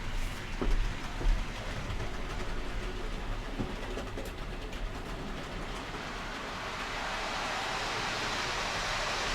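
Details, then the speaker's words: TT120 model railway layout, one locomotive and three coaches running on track laid on foam: loud steady rumbling roar with growing hiss, about double the noise of the 00 gauge; excessive track-bed noise, cause suspected, not confirmed. "Noisy, isn't it? And that's just, one locomotive and 3 coaches. It's double the noise level of the 00 gauge."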